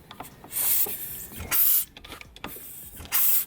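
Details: 1988 Kawasaki KX500 two-stroke supermoto with 1985 engine, kicked with compression release pressed: three sharp airy hisses, one per kick, as air escapes through the release; normal, no fault.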